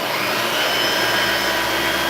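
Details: Vacuum cleaner, power restored, brush roll checked: steady, even high-pitched motor roar with brush roll spinning smoothly, no rattles or surging; normal running.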